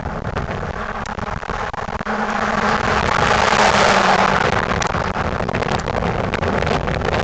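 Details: 1998 Ford Crown Victoria Police Interceptor drive-by: the V8 swells as it passes, with a raspy, puffing exhaust note under the rumble; exhaust leak.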